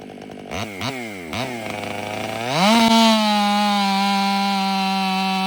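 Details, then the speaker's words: Ported Stihl MS500i (Empire Workshop) running a new MaxFlow air filter instead of stock blips a few times, then revs cleanly and holds a steady high pitch under load without bogging; snappier throttle response than stock, healthy saw pulling hard. "Weekend Warrior stopped over and one thing he brought up is how hard these things pull."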